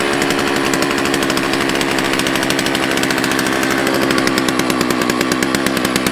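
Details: Used chainsaw that had been given away, not heavily abused, started on fresh gas after a squirt of prime: fast, even two-stroke buzz with crisp regular firing and no misses or surging; running healthy.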